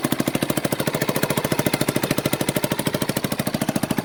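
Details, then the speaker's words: 1989 Yamaha Big Bear 350 ATV, run after sitting 10+ years, on half choke and warming up: single-cylinder idles with a quick, even putt and no knocking; idles well but dislikes throttle and backfires; possible exhaust leak suspected. "There's no knocking. There's no knocking or anything into her. Might have an exhaust leak right there."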